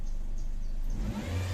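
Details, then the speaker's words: Toyota Vios 2017 at idle, before repair: heavy deep droning hum that swells louder; owner suspects the oil pump itself, not confirmed. "tsaka kung mapapansin may Ugong yun ang ingay talaga Grabeng Ugong niya Ang ang pagkakaalam ko yang Ugong na yan e d sa oil pum mismo sir"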